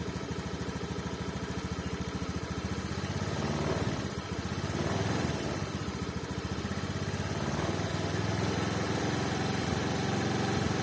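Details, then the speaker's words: 2019 Honda Scoopy fuel-injected scooter after throttle body cleaning, still stumbling at low rpm: uneven running that sags and bogs as throttle cracks open; cleaning didn't help, TPS reads unevenly so throttle angle signal jumps irregularly. "benar adanya dengan dibersihkan total body tidak pengaruh karena massanya ada di bagian sensor TPS nya yang sudah membaca sensornya itu tidak rata"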